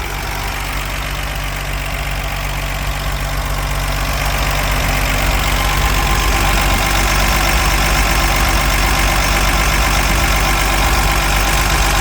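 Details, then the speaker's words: 1964 Ford F100 with an old six-cylinder and solid lifters at idle: an even, smooth idle with a light, regular valve tick about four per second; healthy engine. "sounds like a healthy solid lifter old six cylinder Ford"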